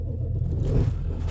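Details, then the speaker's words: 7.3 Power Stroke diesel truck started at minus 25: a deep, even diesel rumble catches right away with no misses or knocks, a healthy normal cold start. "Let's fire up the 7.3 Power Stroke. This is a good truck. She got me to the city safe and sound today. It's minus 25. Listen to this thing turn over now."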